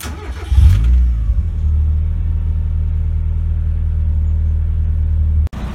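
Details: Car engine started via a newly installed aftermarket push-button starter wired through a relay: brief crank, catches cleanly and settles into a steady, even idle with no stumble or grinding.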